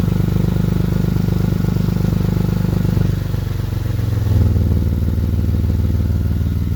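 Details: 2006 Lexus GS300 with dual exhaust while driving: loud, deep raspy exhaust drone with rapid puffing pulses from a very bad exhaust leak, later repaired by welding.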